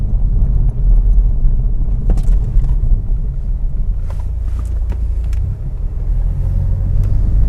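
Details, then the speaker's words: Car on air suspension, test-driven on a paved housing-estate road after suspension work: low road rumble with scattered sharp clunks over the bumps, not from the air suspension. "kita masih nemuin beberapa bagian yang bunyi dan saya penasaran itu bunyinya dari mana karena bisa-bisa bisa saya pastikan itu bunyi bukan dari air suspensinya"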